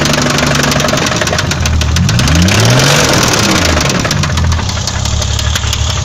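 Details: BMW 520i with M20B20 engine: hard, regular knocking about four per second over the engine, speeding up with revs; not valves but the No. 6 rod bearing spun from oil starvation.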